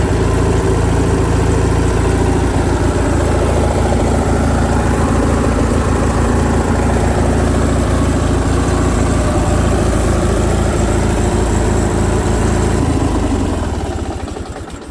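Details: Craftsman lawn tractor, Briggs & Stratton opposed twin, after carburetor repair for surging, choke on, throttle halfway: even steady putter, no hunting or surging, idling a touch fast, then clean shutdown; fix worked, idle screw may need backing off.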